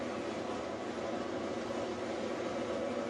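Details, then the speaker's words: Whirlpool top-load washer on spin cycle after draining, lid switch bypass switch installed for testing; steady even hum with faint whine climbing as the drum gets up to speed, spinning normally. "Wait until the washer has drained the water and it starts spinning."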